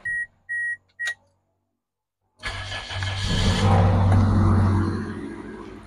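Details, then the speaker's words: Toyota Corolla Altis 9th gen, unused for a month, starter recently fitted with new solenoid and carbon brushes, battery recharged to 14 V: three beeps, quick crank and clean catch into an even idle; starter and engine fine. "So, ayan mga ka-DIY, na-prove na po natin sa inyo na okay na po yung starter, good na po."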